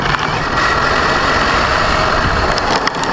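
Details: Brand-new Basher Nitro Circus 4x4 1/10 RC truck on 3S 4000 mAh battery, driven on grass, gritty grinding with crackles only under acceleration. Absent in reverse or off the ground; gear mesh adjusted without fixing it, cause unknown.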